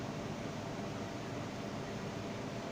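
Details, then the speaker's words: Ceiling fan after repair of its noise problem: smooth, even whoosh with a low steady hum, no rubbing, ticking or grinding; noise gone and speed normal, running normally. "ये बिल्कुल परफेक्ट चल रहा है, आप देख रहे हैं। जो प्रॉब्लम था इसमें साउंड का वो ख़त्म हो गया है। अब इसका स्पीड भी बिल्कुल परफेक्ट है।"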